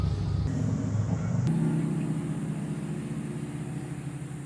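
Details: Powermatic Model 90 wood lathe, about 1959–1960, restored with a new motor, controls and electronics: after the stop button is pressed, the drive cuts off abruptly and a low hum fades smoothly as the spindle coasts down. Clean, normal shutdown.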